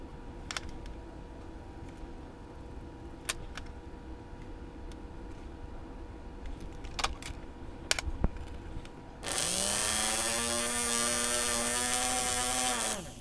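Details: Hornby GWR 0-6-0 model locomotive motor after commutator cleaning: spins up to a high, fairly steady whine, light and strained; weak motor with shorted coils and weak magnet, slightly stronger after cleaning, later replaced.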